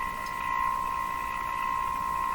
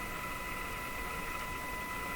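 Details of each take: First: Moffat Crosley G2465 five-tube radio during IF alignment near 455 kHz: a steady high test tone, warbly and rough. It is likely garbled because the signal generator's ground lead is clipped somewhere other than B-minus. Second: Moffat Crosley Model G2465 five-tube radio during IF alignment, signal generator lead moved from the chassis to the B-minus: test tone now clean and steady over a soft hiss with no crackle or warble; the wrong ground was likely the problem.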